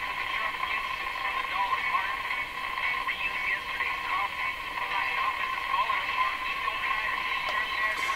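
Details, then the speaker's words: Northern Electric 5300 five-tube radio after repairs: voice and music now play clearly and steadily through the speaker with no hum, crackle or dropouts, where before no sound came out; normal audio output. "now I can hear the essence in the person singing there before I don't think I heard any sound come out"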